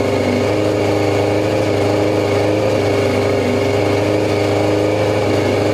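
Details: 2002 Yamaha YZF R6 sitting 6 years, first start on fresh gas via an electric fuel pump: steady, buzzy, slightly uneven idle with no clean rhythm, running rough. Fuel leak from a loose carb drain screw; a sticking float suspected first.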